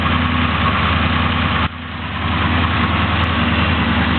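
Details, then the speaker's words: 383 cubic-inch small block Chevy 4x4 truck build, about 350 hp and 475 lb-ft, 9:1 compression, small Comp hydraulic flat-tappet cam, 650 Demon carb, Magnaflow mufflers, just fired and still a little cold: deep, steady, smooth idle with an even beat, no knocks or ticks; normal. "get a little heat in it you tell it runs really smooth even though it has a cam shaft in it got to get it warmed up just a little bit still a little bit"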